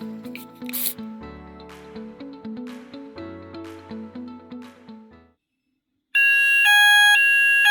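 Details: Apollo XP95 fire alarm system after giving the optical smoke detector an address on its card: short silence, then a loud, steady electronic alarm tone pulsing evenly; sounder works properly.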